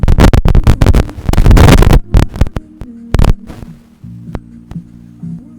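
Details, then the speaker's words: Digimark subwoofer that powered on with no sound, after replacing the TDA7379 class AB amplifier IC, playing over Bluetooth: deep, punchy bass thumps follow the beat cleanly with no crackle or dropouts; normal output. "you can hear the sound it's working it's working yeah the [Music] best it's working"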